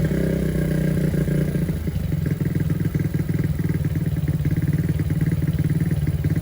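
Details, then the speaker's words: Honda CB100/GL100-based bike just fitted with a CPO PE 26 mm carburetor, air and needle settings still being adjusted: after restart the single-cylinder putters unevenly and stumbles. The leak seems gone but it is not yet normal and is sometimes hard to restart. "kayaknya ini tuh udah enggak ada kebocoran ya barudak. Cuman memang masih belum normal kayaknya nih."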